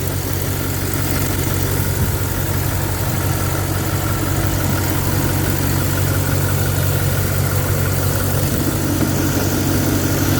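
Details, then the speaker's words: Audi RS5 4.2L V8 idling under a constant airy hiss of unknown origin; a disconnected vacuum line was reconnected, shop running smoke tests for further vacuum leaks. "I don't know where it's coming from. So, just came back from dropping the car off."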